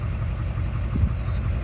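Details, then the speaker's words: 2006 GMC Duramax LBZ diesel with bad fuel and a failed injector: after knocking and heavy black smoke, one injector is unplugged, leaving a deep, steady idle rumble with no sharp knock and the smoke gone, running on seven cylinders. "but you got an injector unplugged so going and we got rid of all the smoke so now go to the [Music] mechanic"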